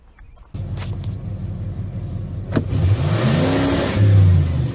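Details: 1992 Ford F-150 4x4 302 V8 revived after sitting 10 years, with old gas, bad tank, water pump bolts repaired and a vacuum line reattached: catches and settles into smooth even run, picks up cleanly on light revs; runs good.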